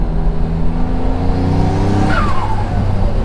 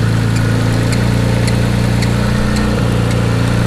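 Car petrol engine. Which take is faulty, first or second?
second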